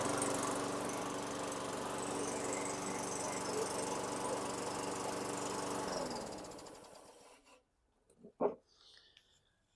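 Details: 2003 Craftsman mower, Tecumseh 4.5 hp 148cc engine with new correct carburetor, after raising idle via governor tab and throttle set screw: steady, even idle for six seconds, then winds down and stops; idle speed sounds right.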